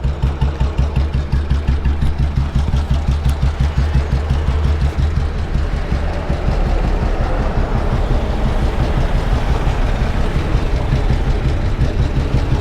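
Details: Royal Enfield CI Bullet 350 single, 2009 build, 2010 registration, heavy crank, after engine work, at idle: steady, even thump nearly three beats a second with no knocks or rattles; normal idle.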